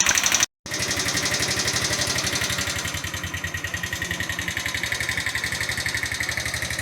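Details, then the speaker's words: Chinese GY6 125cc scooter after engine rebuild with new cylinder head, cold just after first start: light sharp ticking from top end at idle, about four taps a second; valve clearance too loose, exhaust valve suspected. "Or maybe this is normal, but it just sounds really tappy."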